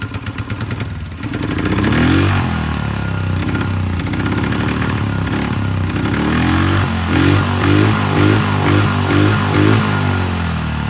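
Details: Polaris 500 HO ATV brought in as a no-start, with bad old fuel and mouse droppings: the single-cylinder thump picks up cleanly through several quick blips and settles back each time without stumbling. It runs fine.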